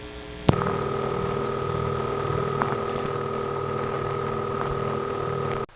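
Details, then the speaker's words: Prepaid coin phone, 753 prefix, area code 617, Massachusetts step office, off-hook with no dime: steady high tone with low hum on the idle line, continuous ring bleeding through; cause suspected, not confirmed. "I pick up a prepaid phone, haven't put a dime in yet, and there's continuous ring sound bleeding through onto the line."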